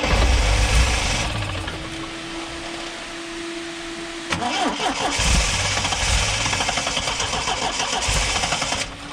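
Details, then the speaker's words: Triumph TR7 with twin HS6 SU carbs, fully warm, held at about 3,000 rpm from inside the car: steady drone falters and dies immediately as choke comes off; owner suspects lean running, possible air leak. "Turn the choke off, she just dies. Just dies immediately."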